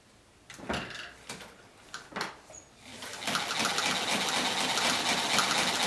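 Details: A Chaika-2 sewing machine with a metal half-gear replacing the cracked nylon one, after gear mesh and timing adjustment, stitches with an even, quick whir of about four stitches a second and no knocks or drag.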